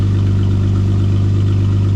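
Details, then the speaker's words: Supercharged Jeep Wrangler with the rock-crawling-dented muffler cut off: a loud, deep, throbbing idle with a steady booming beat and no muffling. Loud exhaust because the muffler has been removed. "Oh, wow. That sounds fresh."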